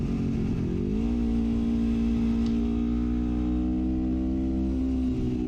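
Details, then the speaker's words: 1973 Honda CL350 with aftermarket exhaust and stock 105 secondary jets: in second gear revs climb, then flatten and won't pass about 7600 rpm, losing 600 rpm per gear. A lean condition is suspected, before the jetting change. "as high as I can get it that's I think that's down there second gear about 7600 RPM"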